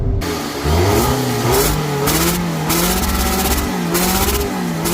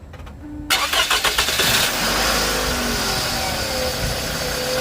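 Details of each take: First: 2nd-gen Scion xB: loud hissing in engine compartment with pulsating RPM and power loss under hard acceleration, engine surging about twice a second with rhythmic hiss; exhaust leak at manifold flange suspected, heat shields removed to inspect. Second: 2nd-gen Scion xB after repair of a loud hissing noise with loss of power and pulsating rpm: it starts, settles into a steady idle and revs briefly with no hiss or stumble. The slow throttle response is gone.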